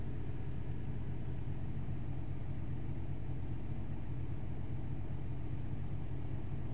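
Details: 2007 Audi Q7 engine idling, heard from inside the cabin: a muffled idle with a soft regular tick about two to three times a second. The owner asks whether this ticking is normal.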